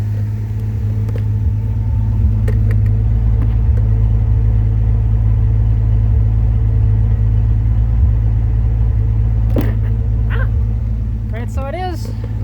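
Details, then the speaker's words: 1981 Ford Mustang, 200 inline-6, C4 automatic, after replacing ignition module which did not fix it: deep idle with uneven loping beat at tailpipe, about four stumbles a second, popping and worsening as it runs; misfire, cause unconfirmed. "still missing it's actually getting worse as it's going along here so i mean you know so"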